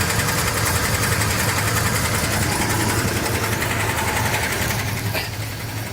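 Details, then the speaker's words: 1956 Chevy small block V8 previously run out of oil; knock began after shutdown and restart, not heard while driving; steady idle with a rough, uneven knock two to three times a second, owner suspects rod knock or a spun bearing. "Oh, this sound doesn't sound good. Dang it. So that started yesterday after I got home and shut the car off, turned it back on. It was just making this noise."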